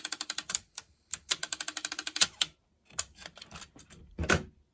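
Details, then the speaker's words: Sanyo M7770K boombox cassette deck that had never played, cassette inserted and fast forward tried: rapid dry clicking bursts that stop and restart as the transport fails to engage; the noise seems to come from a reel. "now it's literally not engaging that's not a noise it should be making why is it making that"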